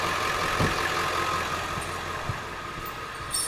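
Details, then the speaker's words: Ford 7.3 Powerstroke diesel after injector harness replacement: even, steady idle clatter, loud, no misses or knocks; running really smooth after repair. "it is running there it is it's running really smooth - it sounds good"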